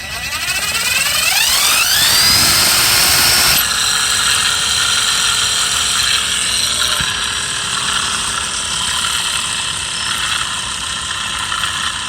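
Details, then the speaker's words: Mercedes S600 V12 original alternator spun by hand on the bench: gritty, rattly marble-like rumble as it slows from bad bearings, unlike the silent new replacement. "first I'll spin it up so you hear the noise so this this marble sound has bearings okay"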